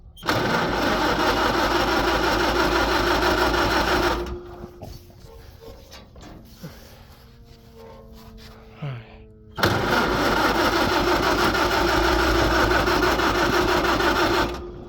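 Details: Farmall H tractor, flooded by choking; gas drained from the carburettor, fuel on: two long runs of even starter cranking, turning over freely but never firing. Cranks, no start; cause unconfirmed.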